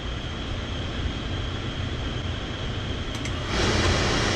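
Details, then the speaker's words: Oil-fired furnace burner at -15°F, reset after tripping; low fuel tank let air into the line, so the nozzle is not spraying steady, with white cloudy air bubbles: roar with slightly pulsing, unsteady flame note jumping louder partway in; expected to trip again. "See, it's not spraying steady. A lot of white, cloudy color. So it restarted right now, but it's going to trip back off because of all the air in the lines."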